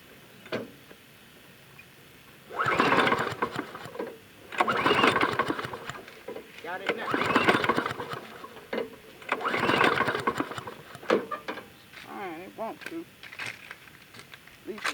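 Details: 6.5 hp Briggs & Stratton Intek engine on a free Ariens mower, stored without gas: four cord pulls about two seconds apart, each a short whirring churn that never catches; owner wonders if it's too much gas. Pull-start cranking, no start.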